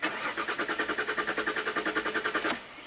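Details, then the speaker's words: 2005 Jaguar S-Type V6, stored 3 years, cranking with a fresh battery: steady starter cranking at about three and a half pulses a second with no firing; fuel rail pressure reads zero PSI, so the fuel pump is suspected. "yeah zero PSI so we're definitely going after this fuel pump"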